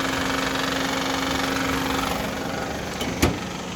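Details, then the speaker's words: 2010 Honda Civic 1.8 L idling after a new AC compressor was fitted: loud uneven rattle and clatter from the belt area, caused by a broken belt tensioner pulley. "so as you can see you guys the tensioner pulleys broken that's why the the engine is making so much noise right now"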